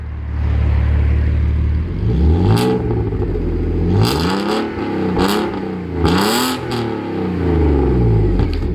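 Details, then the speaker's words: Alfa Romeo 156 3.0 V6 (Busso engine) with a newly fitted sports performance exhaust, automatic gearbox: deep, smooth blips rising and falling cleanly through several revs, crisp and even with no knocks or misses; healthy engine and exhaust. "you can only really get that like from Ferraris and that that noise"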